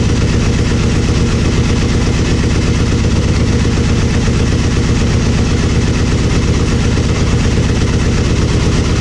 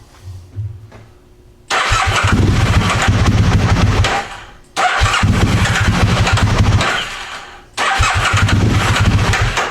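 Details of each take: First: Aprilia Mille R V-twin idling after fuel pressure regulator and adjuster removal and cracked vacuum line repair: steady, even low idle thump, no misses or ticking; fuel pump whines until pressurized, then sounds fine, normal idle. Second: Aprilia Mille R V-twin, fuel pump on: catches and revs hard in short bursts, then dies each time; owner suspects fuel pump not holding pressure but is unsure, engine stalls after revving.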